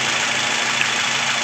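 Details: 2012 Toyota Rush automatic petrol after repair of P0012 camshaft timing retard code, rough boat-like engine sound and transmission jolts: engine now idles steadily and evenly, no knocking or roughness, under a constant airy hiss: normal idle.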